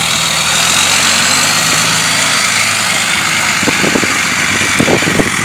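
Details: Diesel after installing six new Bosch 75hp injectors and a K&N cold air intake: steady idle with the usual hiss and clatter and a few louder knocks near the end; sounds like it runs normally.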